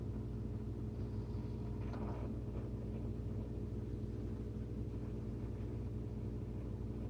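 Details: Whirlpool WSF26C3EXF01 fridge: a soft pop over the steady hum from the top of the fridge about every 12 seconds, day and night, compressor on or off. Cause was a faulty damper control diffuser (air damper), fixed by replacing it.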